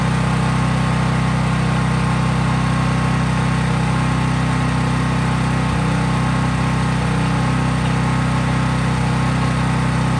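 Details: Craftsman 5000 W portable generator after a cold start, at full speed with just an LED bulb plugged in, effectively no load; steady, even hum, no hunting or misses. Normal running, no load.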